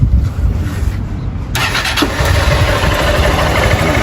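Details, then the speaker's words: Small single-cylinder motorcycle engine after rebuild with new connecting rod, rebored cylinder and new seal, previously knocking badly: starts and runs even, low thumping, no knock or tapping; healthy. "Redondo, redondo demais, né? Ah, incrível, né? Sereno, não bate nada aí."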